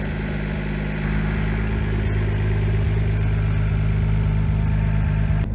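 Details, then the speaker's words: 2JZ-swapped 300ZX with a Grannas Racing Tilton ST246 twin-disc clutch and CD009 transmission, about 2,500 miles at nearly 600 ft-lb, idling just over 1,000 rpm, heard from outside: steady idle with slight belt squeal, a small exhaust hole and VVTi noise, no bellhousing rattle. "Aside from a slight belt squeal, a little hole in the exhaust, and the VVTi here, I don't hear any of the rattling from the bell housing."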